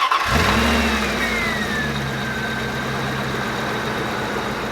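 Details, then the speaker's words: 1994 Dodge Dakota after a new air filter and intake cleaning; brief cranking, then it catches into a steady, slightly uneven idle after a slow start. Owner assumes the hesitation is from cleaner in the intake. "now it did hesitate start the first time kind of cranked for a while and then it fired up"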